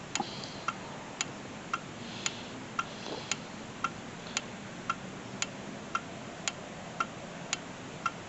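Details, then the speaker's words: 2007 Honda Civic with no crank, no start: four-pin starter relay on a relay tester gives crisp, evenly spaced clicks about two per second and a green light; the relay is good. "all right we got a green light so that means that uh relay is good"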